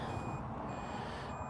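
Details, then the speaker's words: Abandoned tow truck in Plant City, Florida, jump boxes engaged before a start attempt: sharp high beeps about twice a second over a low hum. The jump pack is warning about voltage. "this one over here is beeping and getting mad oh it says something about the voltage it looks like"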